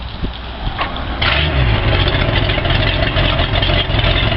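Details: Boat engine after dewinterizing and a starter replacement, following the boat filling with water over winter: it catches quickly after a short crank and settles into a steady, even run with a low rumble, a normal healthy start with the new starter.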